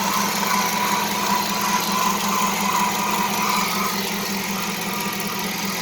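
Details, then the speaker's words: Dodge Charger R/T 5.7 Hemi after new serpentine belt and tensioner pulley: thin high chirping squeak over steady idle for a few seconds, then fading; owner suspects belt too tight or pulleys misaligned, not confirmed. "I don't like that that belt kind of sounds kind of one of the pulley sound kind of squeak you know I gotta make sure they're lined right"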